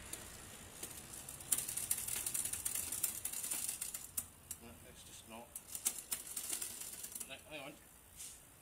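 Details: Bicycle rear derailleur after an adjustment, trying to shift from gear four: light, fast freewheel ticking as the cranks spin, and the chain never drops a cog; the derailleur is not shifting, cause unconfirmed.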